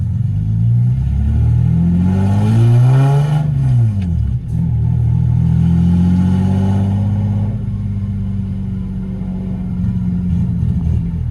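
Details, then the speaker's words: Lexus SC300 driving at about 1,000 rpm with broken exhaust: deep, loud, raspy drone swelling as it revs and pulls away, sounding like a hot rod; broken exhaust blowing. "It is so loud, bro. We're at 1K right now. It sounds like a hot rod, man."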